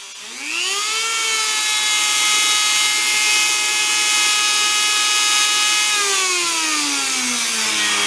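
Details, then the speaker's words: Previously binding tool switched straight to full speed: quick spin-up to a high, steady whine held constant for five seconds, then smooth wind-down; runs healthy. "runs very nice now so we'll pause we have to show that"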